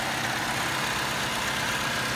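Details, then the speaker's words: 2005 Saturn Vue, sat a couple of months, AC on; even, steady engine hum with no misses, knocks or surging: idles smooth and fine. "as you can hear it's running smooth and fine"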